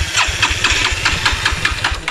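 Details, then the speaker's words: Petrol motorcycle with its petrol drained for a gas conversion, restart attempt after it died; quick cranking at about four strokes per second that never fires, no-start from fuel starvation. "பாருங்க வேலை பாத்தா இருக்காது. இங்கயும் பாத்தீங்கன்னா petrol dub பாத்தீங்கன்னா ஃபுல்லா புடிங்கியா இருக்கு."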